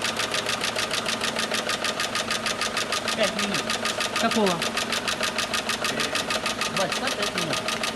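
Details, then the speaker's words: Renault Megane 2 at cold idle after adding anti-wear additive: regular rapping knock about two per second; teardown showed worn shafts and bearings, scored crankshaft, engine worn out. "шт автомобиль меган 2 проблема стуки в моторе по разбору показала изношенности валов и подшипников задели на коленчатом валу мотор труп"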